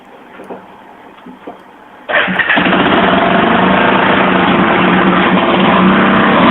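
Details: 1982 Yamaha SR 250 Special Edition single-cylinder motorcycle, probably from when the carburetion was being adjusted: quiet, then it catches and settles into a loud, raspy, open lawnmower-like putter; the exhaust line is full of holes and leaking.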